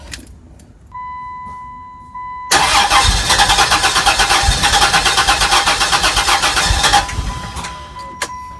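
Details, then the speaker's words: 2001 Chrysler Prowler, sat unused 3 years, suspected overheating history: long steady cranking, about three turns a second under starter whine, catching briefly but never firing; extended cranking without starting. "Looks like we don't have gas, so that's probably going to be an issue."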